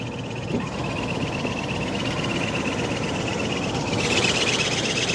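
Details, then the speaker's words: Carrier rooftop unit not cooling properly, unserviced since April 2023 with very dirty filters: a high thin squeal pulses a few times a second over the blower's steady rush, from a worn-out blower belt. "Know if you guys can hear it, but the belt is definitely sound like it's worn out in there."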